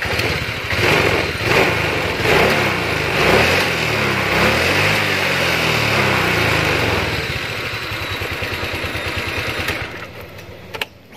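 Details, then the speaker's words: Honda Vario 125 ESP scooter after repair of a high idle that would not drop: blips up, then falls straight back to a steady, even low idle without hanging; owner says the high idle can come from the sensor. "Oke ternyata sudah kembali normal ya jadi seperti itu ya sahabat otomotif jika kalian menemukan kerusakan pada motor Vario yang lamsamnya biasanya itu tinggi ya dan tidak bisa turun"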